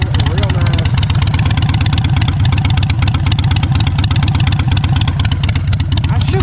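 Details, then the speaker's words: Harley-Davidson Iron 883 Sportster (being made an Iron 72 hybrid, 48 tank), old gas, started with a jumper after a dead battery: loud, steady, lumpy V-twin beat picking up cleanly when revved and settling evenly; runs strong, normal idle and revving. "She starts up, she runs, she's looking good, she feels great. Ran it up and down the street a couple times. She's feeling real strong,"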